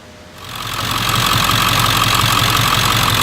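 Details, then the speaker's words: 1999 Ford F-350 diesel after new serpentine belt installed (dry belt): settles into an even idle with steady clatter, no belt squeal or chirp; sounds healthy. "There you go. The dry belt. Sounds good. It's not squealing."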